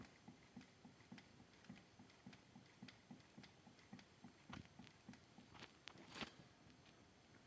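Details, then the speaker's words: Freshly assembled crankshaft turned by hand spins smoothly but knocks a few faint taps as it comes to a stop; cause unknown, owner suspects play somewhere in the assembly. "всё нормально крутится всё хорошо Ну только при остановке тук тук тук тук что за проблема Не знаю"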